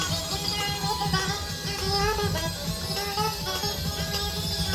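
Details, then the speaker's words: Fostex XR-3 4-track cassette recorder, rated 3.75 ips, playing a 4-track tape: music comes out sped up and high-pitched; the deck runs the tape far too fast, possibly about double speed. "So it works, but as you can hear, it's like in hyperspace. I don't know if that's double too fast, but it's fast."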